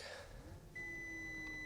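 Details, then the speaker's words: Audi A8 D4, dash shows "Airmatic Visit Workshop" amid a stream of errors while driving: a single steady high chime lasting about a second in a quiet cabin; air suspension fault warning, owner believes an air strut bag is leaking. "airmatic Visit Workshop Ну владельцы мерсов меня поймут"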